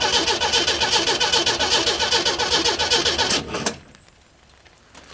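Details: 1937 Chevy 250 six-cylinder, unrun for unknown years, cranked with distributor and coil unhooked to check oil pressure via the crimped oil line: even cranking at about 150 beats a minute for 3.5 seconds, turns freely, no firing. Normal cranking.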